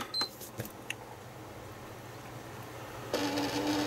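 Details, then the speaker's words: PlayStation 3 Blu-ray drive with suspected two discs stuck inside, at power-on: a few light clicks then a loud rasping, buzzing whir as the drive spins up; abnormal disc drive noise at power-on. "that's not a nice noise"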